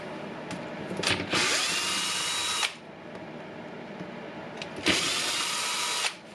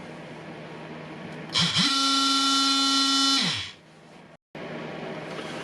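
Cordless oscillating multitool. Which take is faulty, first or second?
first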